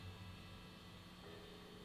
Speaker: Here is just the middle pickup. Listen to that, it's a little noisy, isn't it?